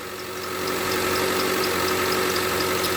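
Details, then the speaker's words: Mitsubishi Lancer X running on gas (LPG), cold, after the broken crankshaft pulley was replaced and new rollers fitted: a steady idle with light, even valve ticking and a faint high whistle, possibly from oil on the belt. It is slightly rough from the cold and gas, with no knock. "давай запускаем ну вот немножко колбасит мой это из за того что он на газу работает"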